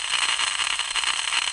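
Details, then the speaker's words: Constant harsh crackling electrical buzz from a 2000 amp low voltage main power circuit breaker that should be totally silent, ongoing for two years; spectrum shows several 60 Hz peaks with noise content, indicating an electrical fault. "should a 2000 amp low voltage power circuit breaker sound like this it sure shouldn't it should be totally silent and this has been going on for two years"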